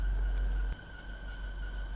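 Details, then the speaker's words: New Land Rover Defender after deep water wading: a thin, steady high squeal under heavy wind rumble, caused by water on a pulley belt making it slip; it stopped once the belt dried off. "is that noise turns out that that screen noise was because there's water on a pulley belt but it's dried off and now and gone away"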